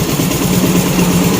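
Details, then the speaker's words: Yamaha Nuvo Elegance 135 scooter after a major service with carburetor cleaned and clutch and pulley work: steady low even idle, no knock, tick or rattle, very quiet, engine not worn and no oil blow-by from the breather. "ปกติเงียบมากนะครับก็ถือว่ายังไม่หลวมนะครับ"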